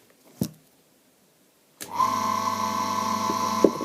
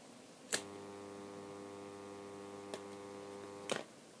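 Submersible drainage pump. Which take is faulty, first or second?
second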